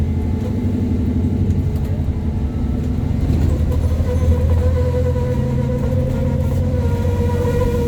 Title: 8908 making strange squealing noises as she climbs Forthill Road